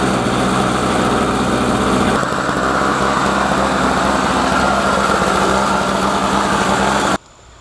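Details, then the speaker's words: Trash-picked Snapper 17 LE snowblower: the small engine holds a smooth, even drone at steady speed for about seven seconds, then shuts off cleanly; runs nicely. "all right boys and girls we got us a nice running snowblower now let's uh clean out that gas tank and uh continue on"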